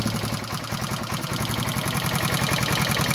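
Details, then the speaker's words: Barn-find 1978 Honda XL250 single idling after new timing chain, mudguard fitted; light, quick ticking in time with the beat from tappets left loose, traced to the intake tappet, no cam noise; tappets still to be set. "I've slipped the mudguard on now. You can still hear the tappets. I've left them loose."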